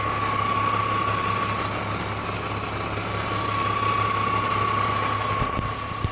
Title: E46 330i Motorgeräusche